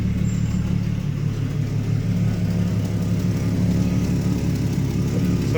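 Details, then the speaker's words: Jeep XJ at idle after cleanup and vacuum lines reconnected: running great, steady idle with a faint rhythmic puffing tick from a small exhaust leak, to be fixed with intake and exhaust manifold gaskets. "I do got a little bit of an exhaust leak, but I'll get that fixed when we do our intake and exhaust manifold gaskets."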